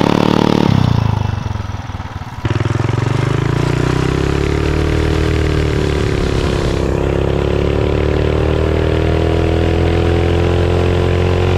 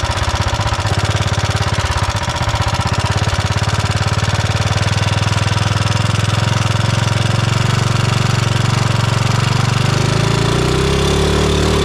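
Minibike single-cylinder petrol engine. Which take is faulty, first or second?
second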